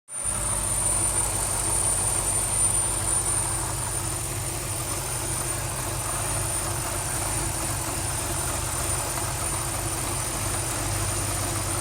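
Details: 2005 BMW X5 4.4 V8 E53, 140,000 km, new alternator and belt, fresh 5W30 oil: steady high-pitched whistle from engine area at idle; also rattling, random rev drops, unstable idle worst on first cold start of the day.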